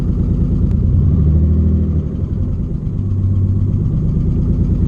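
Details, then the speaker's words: Nissan 300ZX with open headers and no exhaust, first start after fixing the connector suspected of causing a bad misfire: loud, rough-edged idle with steady low beat, car not shaking; seems to run right, owner unsure; normal idle. "i think that's right the whole car isn't shaking so that's a good sign"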